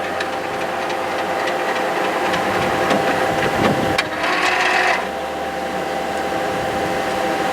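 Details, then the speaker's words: HP large-format inkjet plotter under teardown, running after covers removed and lower window closed: busy uneven rattling as the print head carriage travels back and forth normally, steady fan whine behind; initializing and checking cartridges. "oh we got much further this time I can hear it moving the pr head around there we go"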